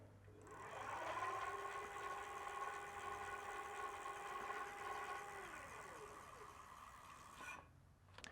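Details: Onebot T6F foldable eBike in pedal assist level 3, rear wheel lifted: smooth, steady electric whine rising as the wheel spins up and fading on release, no grinding or clicking; normal hub motor operation.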